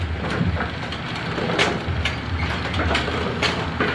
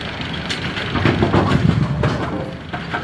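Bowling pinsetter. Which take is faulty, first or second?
second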